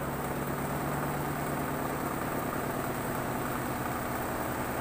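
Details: Washing machine spin dryer that suddenly would not spin, after home repair: steady even motor hum, no knocking or scraping; spinner turning freely, running normally, fixed.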